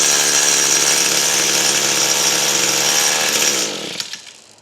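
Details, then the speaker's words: Echo SRM-225 string trimmer with intermittent spark, run with on-off switch disconnected: two-stroke screams at high revs, then cuts out and winds down; faulty kill switch suspected. "So this switch is either bad or there's something wrong with it."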